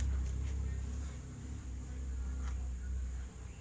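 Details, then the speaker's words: Refrigerator compressor drawing a high 0.9 A even after a PTC swap, smoking, possibly overheated; before a capacitor is added. Low, steady, unusually prominent droning hum: airflow strong but very loud, cause not confirmed. "Kalau saya melihat dorongan anginnya masih sangat-sangat bagus, masalahnya suaranya keras banget."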